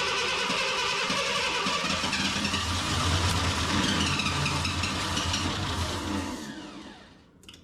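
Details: Ford Bronco II with fuel-injected 2.9, sat in a field since 2001, starter solenoid bypassed, ignition on: brisk even cranking about 3.5 beats a second for six seconds without firing; fuel pump gives no pressure.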